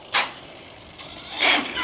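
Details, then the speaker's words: Used ARRMA Big Rock 6S RC truck on 3S batteries: two sharp cracking bursts only on harder throttle pulls, quiet running between; gear teeth skipping from a flexing front end. Gear grinding under load. "You can hear the audio, but it it sounds like a cracking sound."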